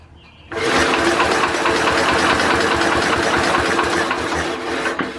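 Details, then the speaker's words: Simplicity Landlord 2010 tractor engine after timing fix and flywheel key replacement; starter spins steadily at about three turns a second but never catches. No spark, traced to a stripped cable reconnected together that turned out to be the engine kill switch. "think we have spark now alright guys so I started thinking about it before I took the engine completely apart and thinking about what I did different why we would have lost spark"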